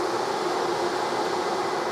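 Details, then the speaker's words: 1973 TVR 2500M after new wiring harness install, engine dead cold: electric radiator fans run with a steady even whoosh because the installed coolant bypass switch was left in the on position; no burnt wiring smell. "So electric fans are on. I don't smell any burned electrical wiring. So my first aspect is to figure out why the fans are on when it's dead cold."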